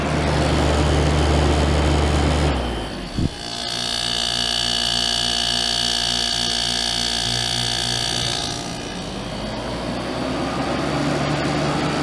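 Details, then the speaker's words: 1989 Crest (Fedders) 5000 BTU Carry Cool after cleaning and fan motor oiling: steady hum with a smooth fan rush that shifts tone as the speed setting changes, no rattles or grinding; works perfectly, normal operation. "it runs good it was worth the restoration and the 15 dollars that I paid for it too see it works perfectly"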